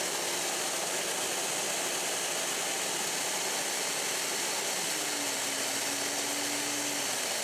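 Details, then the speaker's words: Allvac AV7000H hydro excavator with PTO engaged and the vacuum pump at high RPM, pressure check at about 7 PSI: a steady loud rushing hiss of air venting from the front pressure reliefs over the pump drone, with a faint tone rising near the end. The relief is working normally. "We're going to start our vacuum pump and we're going to put it onto high RPM, and we're going to watch this gauge here to make sure it sits around the 7 PSI mark, and you'll hear the vacuum relieving out the pressure reliefs at the front."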